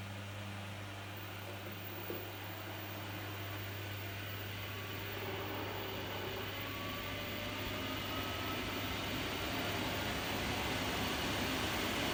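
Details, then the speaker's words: New replacement dryer fan for an LG F1496AD5 washer dryer, bench-tested before installation: a smooth, steady hum with an even airy whoosh and no scraping or rattle; it spins freely, much better than the failed fan. "See how much better that is?"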